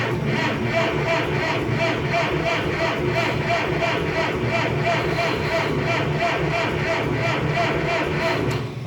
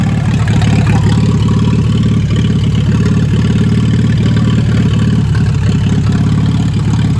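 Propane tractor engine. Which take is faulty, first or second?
first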